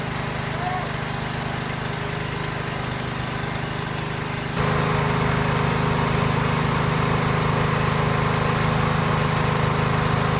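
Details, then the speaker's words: Garage-find Cub Cadet 1190 lawn tractor with its gas tank drained, cranked on starting fluid: a small engine thumps along at a fairly even beat, then picks up louder and steadier. It fires on starting fluid, confirming spark. "okay still nothing to a little bit more Goku Juice and if that doesn't work good enough to check for spark s [Applause] sounds like we got Spark"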